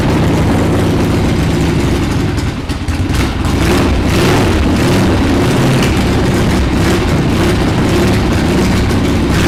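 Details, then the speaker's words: 1979 Harley-Davidson Ironhead Sportster XL1000 run after 25+ years sitting: loud lumpy V-twin idle with uneven stumbling beats because the carburetor popped off the intake and sucks air; rough idle from carburetor air leak. "not really idling right let me take a look at the car real quick that's cuz the car freaking popped off"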